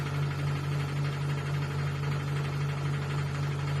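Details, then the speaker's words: Cecotec Bolero Dresscode 9500 Inverter 9 kg front-load washing machine, 1400 rpm: steady low hum with regular thumping about four times a second, nothing rubbing; started today, owner suspects a loose screw inside, cause unconfirmed. "Ha empezado a hacer ese ruido hoy y es una locura. Una locura. Como si un tornillo estuviera suelto por dentro."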